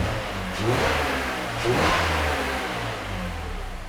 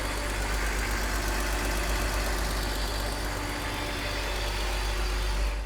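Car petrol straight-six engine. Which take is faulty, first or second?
second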